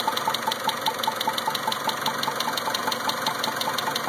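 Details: 2000 Mitsubishi Eclipse four-cylinder at rough idle with a misfire (cylinder 2 per caption): sharp, even tapping about five ticks a second over the uneven idle; owner unsure if the clicking is related to the misfire.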